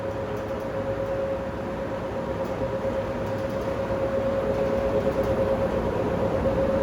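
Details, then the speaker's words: Industrial fan that sat idle 8 years, blade balanced: steady rushing airflow with thin constant whine on top from worn motor bearings, not yet grinding, to be replaced in a few years; fan motor bearing wear. "It's the bearings that's the problem with it. Uh particularly this fan lasted a long time, but it did sit idle for sit excuse me, 8 years, um, which led to the wear and tear that you guys could hear on camera."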